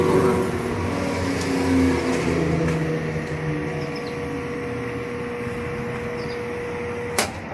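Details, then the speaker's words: Whirlpool top-load washer drive motor bench-tested, powered but not hooked up: steady even hum, clean constant tone, no knocks or grinding as it spins freely; motor runs normally, not the cause of the jammed drum. "all right I see the water working fine it is testable she's working fine"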